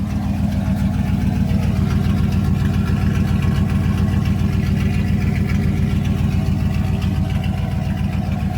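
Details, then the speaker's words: Dodge Ram 1500 V8 just straight-piped: loud open-piped burble with even steady beats at idle, engine sound, no typical Dodge valve rattles or ticking. "but guys the engine is sound no noises it doesn't have the typical Dodge valve rattles and stuff"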